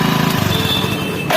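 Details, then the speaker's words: Motorcycle engine pulsing unevenly, then a brief metallic whine from the self-starter as the bike is switched off; the starter also makes the noise when starting. "और जैसे बंद करते हैं सब आवाज़ कर रहा"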